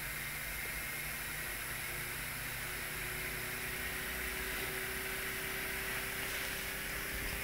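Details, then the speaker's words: Pulse motor repaired and held together with electrician's tape during a speed test: a steady high whirring hiss with a faint tone edging upward as it gathers speed; it spins freely and runs smoothly. "go that's really getting the speed on there"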